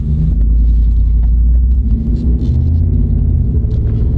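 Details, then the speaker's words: Used Ram truck driven in four-wheel drive on very aggressive tires: deep steady rolling rumble from tires and driveline, louder than two-wheel drive but no clunks; normal operation. "I don't hear any clunking now of course it'll get even louder now cuz you got the four-wheel drive system rolling along but that's just normal noises"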